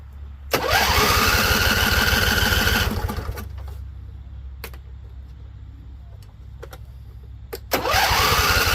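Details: Husqvarna Z254 with a swapped engine and carburetor new a couple weeks earlier; spark confirmed. Steady starter whir about four cranks a second with no catch, then a few sharp pops; owner suspects flooding. A loose plug end was found afterward.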